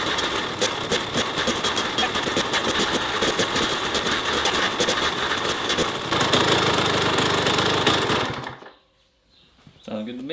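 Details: Kawasaki KX100 two-stroke after top-end rebuild, fuel and exhaust gasket issues fixed, last heat cycle before break-in: a crisp, even rattle at steady fast idle, a brief rev, then a clean shutoff; healthy.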